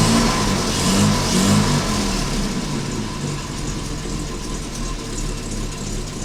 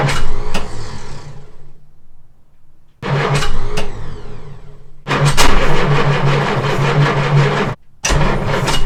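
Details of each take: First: Jaguar Mk2 (budget build), first start in years with automatic enrichment device removed: engine catches and runs with a steady mid-pitched burble, revs easing down, no misfires or knocks; normal running. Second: Jaguar Mk2 (budget build), first start in years after radiator and heater pipes fitted, automatic enrichment device removed and no choke: several bursts of cranking with stumbling catches, then it fires and holds a lumpy run; hard starting without choke, manual choke conversion recommended.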